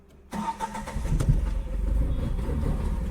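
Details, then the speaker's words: Tata Tiago petrol engine starts and runs lumpy and uneven, its low thump stumbling in a severe misfiring rhythm that shakes the car. "यह गाड़ी missing कर रहा है। तो इतना खतरनाक मिसिंग पहली बार ऐसा हमने देखा है"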